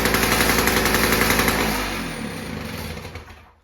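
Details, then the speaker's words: VICTA Tilt-A-Cut lawn edge trimmer, VICTA two-stroke engine, garage-sale find, new spark plug fitted; genuinely cold engine (muffler cool), 3 primes: starts first pull with crisp, even firing about four beats a second, settling smoothly. Normal cold start and idle. "She started first pull from an absolute cold start."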